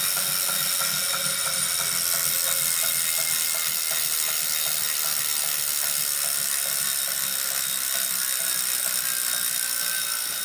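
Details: Brand-new Wahoo Kickr Core smart trainer under load: rapid clicks, about three a second, over a high steady flywheel whir; clicking/knocking source not pinned down.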